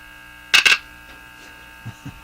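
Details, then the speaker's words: Japanese Zephyr Model 1 radio at full volume: steady low mains hum through the speaker with sharp handling clicks, seemingly louder after a re-soldered wire; owner suspects that wire is not connected. "The hum seems louder now, doesn't it? Uh, if this wire is not connected, then that might be the reason."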